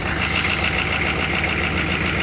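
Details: Diesel truck with stock GM turbo and a PMD replaced a couple of months ago: steady, even diesel clatter at idle with no misses or uneven beats, idling normally.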